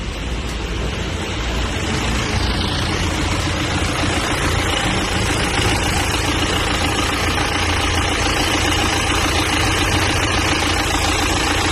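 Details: BMW 3 Series GT, started after fitting the accessory belt (a broken belt causes overheating and no charging); steady, even idle with no squeal, chirp or belt slap.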